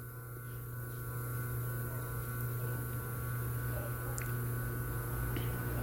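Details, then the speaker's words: Motor running on an undersized run capacitor (about 1.97 A): a steady low mains-pitch hum and growl because the weak capacitor cannot compensate the current phase shift. "Sinal que já está bem, a defasagem não está igual, né? O capacitor com valor fraco, ele não está conseguindo compensar a defasagem da corrente, né?"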